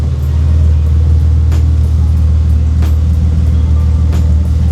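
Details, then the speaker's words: BMW E36 M3 after a head gasket and bent exhaust valve rebuild, not yet warmed up: a deep, steady idle, slightly choppy, with no knocks, ticks or misses. The engine sounds healthy. "So far, it sounds good, it sounds healthy. I don't see or hear anything weird going on, even from the"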